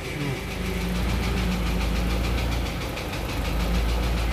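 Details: Isuzu Elf 4HL1 diesel with ECU, after fixing crank-but-no-start fault: steady idle with even low rumble and regular firing, no knocks or misses; sounds healthy.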